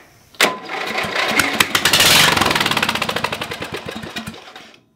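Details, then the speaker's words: Lowe's 1442 mower, 14 hp, choke held on because the cable is broken, after finding a piece missing from the top of a valve stem: the starter cranks, then the engine fires and runs briefly with quick, slightly uneven popping before shutting off, so it runs. "so we got to hear it crank over by the key which means that this is gonna be a running engine"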